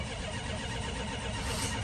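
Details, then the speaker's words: 1979 Chrysler New Yorker 5th Ave, cold start after sitting a while: steady, even churning of the starter turning the engine over without catching for a long crank; owner attributes it to sitting, extended cranking before it starts. "It'll start. It's just been sitting for a while."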